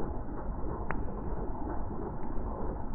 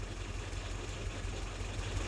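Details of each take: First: WW2 Willys jeep engine at idle during carburettor mixture tuning with a Colortune plug showing mostly blue flame: steady low, even idle with a soft regular beat and no misses or pops; runs smoothly, mixture sounds right. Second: WWII Willys jeep tuned with a Colortune, idle mixture screw turned out half a turn: deep, slow, lumpy labouring idle with orange flame; running too rich at idle.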